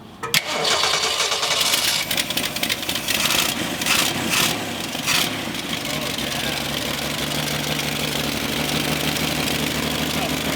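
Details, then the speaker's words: 1966 Ford Mustang barn find after a long sit, bad old carburetor replaced with a good used one: starts after a short crank, revs briefly, then settles to an even steady idle, no miss or stumble, while idle and choke are adjusted. "now i'm poking it on so our old carburetor was bad yeah new one's good and we're adjusting the basically the idle choke i don't choke so it's not revving up so much"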